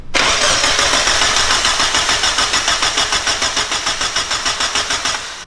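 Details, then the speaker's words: Freshly built Mazda Miata engine, first start attempts, cam angle sensor checked and grounds continuity-tested: steady starter churn about three and a half beats a second, no firing; no spark, failed ignition coil packs. "check for spark i'm a little let down right now that was really high hopes round four jesus christ dude damn it still nothing huh she's dead"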